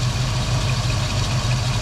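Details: Foxbody Mustang 5.0 V8 with a steady low rumble around 1000 rpm and an even pulse, no hunting or surging. This is after cleaning the dirty EGR valve, which the owner guesses caused the long-standing rough idle and surge.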